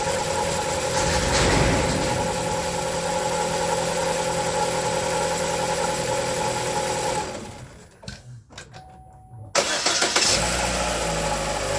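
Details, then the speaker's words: 2011-2015 Chevy 1.8L idling right after timing belt, valve cover gasket, spark plug and actuator replacement, water pump not yet done: steady even idle with faint hum from the tight new belt, brief dip, no knocks or misses; sounds good. "That sounds good."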